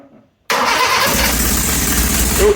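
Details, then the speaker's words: 1983 Toyota Tercel SR5 4WD wagon, first start after swapping a 3A for a 4A-C with oversized pistons, decked swirlport head and port-matched manifolds. No exhaust fitted and no coolant added yet. It catches after a brief pause and settles into a loud raw rasping idle, slightly rich, even, no knocks. "is not hooked up fire it up really quick yeah it's not hooked up it's fine it's just loud it's gonna be hard she's a little Rich right now"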